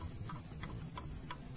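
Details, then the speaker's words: Yamaha Jupiter Z engine torn down, nothing running: sharp light metallic clicks, about three a second, as the connecting rod is rocked, showing worn loose big-end bearing play; rod to be replaced, cylinder rebored. "Bunyi ya tuh. Ini pasti kalau nggak diganti pasti bunyinya kasar."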